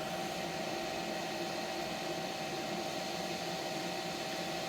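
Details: ALLLIKE SN1000 1037Wh lithium-ion NCA pure sine wave portable power station near its 1000 W output limit, charging electric bikes and boiling a kettle: steady airy fan rush with constant mid hum, no surging or cutting out; cooling fans run normally under heavy load.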